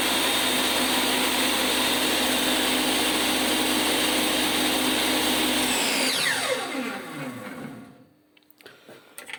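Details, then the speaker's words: Metabo TS 254 M table saw with a new 48-tooth aftermarket blade heavier than the original; loud whine with rough throb, vibration even worse than before, pitch sinks on coast-down; blade shaft play noted, bearing suspected. "новий диск він важчий за оригінальний вібрація ну колосальна йде навіть ще більша стала ніж була"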